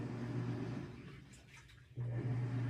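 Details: Samsung washing machine after replacing a worn plastic gear that was grinding against a metal gear: runs with a steady low hum, no grinding or knocking; normal running.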